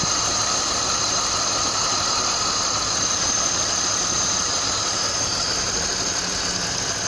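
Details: BMW M52TU engine at idle: a dull, rhythmic knock of about three beats per second over a hissy top end; the cause is unknown.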